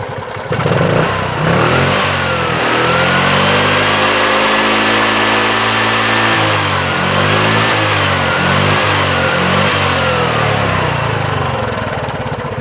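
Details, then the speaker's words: Bajaj Chetak 4-stroke scooter after replacing a defective CDI and running over 10 minutes: revs rise and fall smoothly over several blips with no knocks, pops, stumbles or misfire; the engine pulls evenly. Normal revving. "कोई प्रॉब्लम नहीं है, रेस करने पे भी कोई नॉकिंग, कोई मिसफायर कुछ भी नहीं हो रहा है।"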